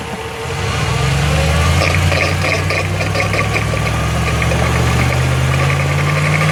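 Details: 2005 Jeep Grand Cherokee WK 5.7, 136k miles, accelerating uphill: a steady low drone with a faint tone creeping upward under load. Differential or drivetrain noise is suspected, not confirmed. In stereo, right channel is toward the axle and left toward the driveshaft.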